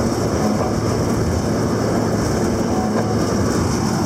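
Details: Hesston 4910 baler making heavy wet bales: continuous heavy mechanical rumble and clatter at an even, unbroken rhythm with no banging or stalls; working smoothly.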